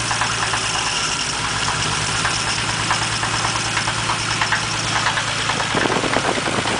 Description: 1947 dodge flathead, idles nice and smooth... just above idle, sounds like a rod knock...